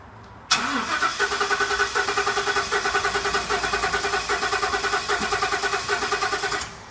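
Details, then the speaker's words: 2015 Ford F-250 6.2L V8, 50,000 miles, towed in running bad, hard start, bank 1 misfires; cranking in clear flood mode, no start, uneven pace and strength, compression loss traced to broken exhaust valve spring. "okay you hear that inconsistency of the cranking that points me into a direction of a compression issue either compression piston uh commercial rings intake or exhaust valves something there"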